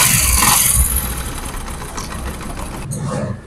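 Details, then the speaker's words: Honda CD 70 (2020 model) after timing chain set replacement to cure a ticking noise: brief start burst, then soft, even idle with no chain rattle or ticking; engine quiet and normal. "और आवाज बिल्कुल खामोश है engine बिल्कुल खामोश हो गया"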